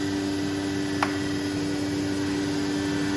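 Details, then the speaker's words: New 2021 Becker VTLF 2.250 dry rotary vane vacuum pump on a CNC router, zones being closed off; smooth constant hum with one brief tick, sounds very strong under full load, healthy. "you can see under full load this vacuum pump still sounds very good very strong and pulls a lot of vacuum"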